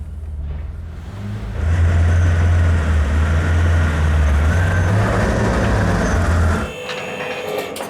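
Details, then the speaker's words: BMW E31 850i V12, abandoned since 2011, after full mechanical restoration: quick catch then smooth, deep, even idle about five seconds before fading; normal start and idle. "Starts beautifully, Mati."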